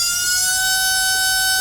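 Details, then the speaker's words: RC brushless motor on a SKYRC motor analyzer, first two clicks: 34,000 RPM at 3.3 amps, sounding softer; steady smooth high whine; normal run. "you can you can tell that's the first two clicks it's still doing 34 000 but it sounds softer 3.3 amps"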